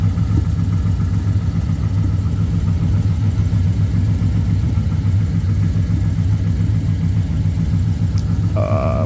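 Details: BMW E36 with rebuilt 5.7 LS1 V8 swap on a base map, on ramps at idle: deep, lumpy idle with loose, uneven exhaust pulse; exhaust leak, believed to be a loose exhaust clamp.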